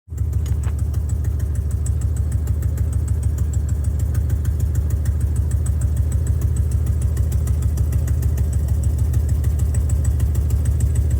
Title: First test drive around the block! #buford did great! Need to fix some exhaust leaks though.